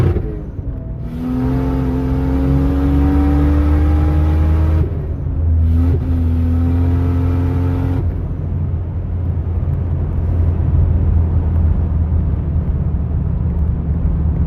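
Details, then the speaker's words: Toyota Supra 2JZ on a test drive after a power steering rack rebuild, hard pulls: revs climb quickly, flaring without load. The cheap Impact clutch slips under boost; owner thinks the engine has too much power for it and plans a new clutch. "the cameras getting a little jumpy there that's the clutch slipping we're just over rep like that but all in all for 50 bucks the impact clutch is a decent buy it got me through a whole season"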